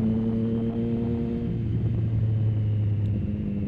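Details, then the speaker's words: Motorcycle on day two after a home ECU remap with TuneECU and a DNK Tuneworks tune, loud SE Project S1 sound without baffle, ridden cold; crisp even note, immediate throttle, no stalling as before: normal running. "So still sounds good. It's got that SE Project S1 sound to it without the baffle. You can probably hear it. It's loud as all crap."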